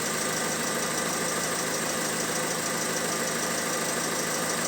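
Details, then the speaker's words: Opel Insignia B16DTH petrol engine, 136,000 km, idling after a start. A constant dry metallic chatter plays over the running sound and persists after startup. Suspected timing chain rattle, not confirmed. "Трескануло в начале и затихло потом. И есть у нас видео, когда она запустилась, начала трещать. И потом при работе трещала еще больше. То есть продолжала треск."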